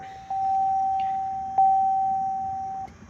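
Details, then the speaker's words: GMT800 LBZ Duramax truck with OEM Bose audio after new speaker install: clean, steady mid-pitched door chime sounds, re-strikes once and stops; chime, previously not working, now works normally. "one amazing thing is um we got the door chime working because the door chime did not work before"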